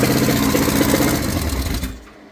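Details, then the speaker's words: Chevrolet S-10 burnout truck running: loud ragged roar with uneven, lumpy firing before dying; runs rough, owner is pretty sure the cam is destroyed. "Truck just sounds like ass right now. We don't know why."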